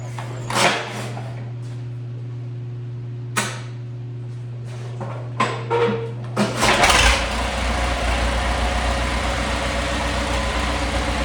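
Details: Cockshutt 80 tractor, recently brought home, low on gas, only ever run 10-15 seconds, started in neutral with the push button: clunks and clicks, short crank, catches near seven seconds and holds a steady even idle; normal start.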